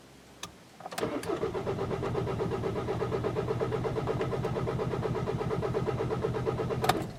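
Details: VW/Audi 1.9 or 2.0 TDI pump-injector diesel after a long standing period (about 12 hours), cranked cold: starter churns with even pulses for about six seconds without catching; hard start from damaged pump-injector seals, no fuel backflow seen.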